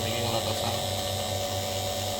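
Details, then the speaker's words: Car AC vacuum pump on the low-pressure line after about 15 minutes of evacuation. The earlier loud sound has become a quiet, steady hum with a soft whine and no labouring. The system is at full vacuum. "you can hear this, it's become completely silent. So there's 100% vacuum in this."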